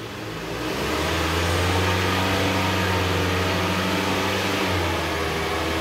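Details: Mitsubishi Lancer wheel on a stand, traction control off, heard through a stethoscope: a steady low hum with an overtone while the wheel spins, consistent with a worn wheel bearing.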